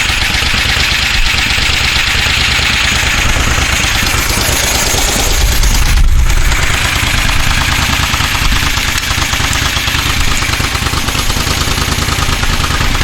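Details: 1973 Moto Guzzi Eldorado, first start-up after decades off the road, following a fuel tank coating and carburettor cleaning; loud, uneven exhaust popping with a slight swell. Owner thinks it doesn't sound too bad.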